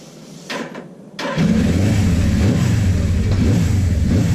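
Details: Suzuki GS850 motorcycle started after valve adjustment and head cover refit, fuel from a small container: short crank, then lumpy, uneven low beat with wavering revs; valve ticking gone but still runs poorly, owner suspects carburetor issues.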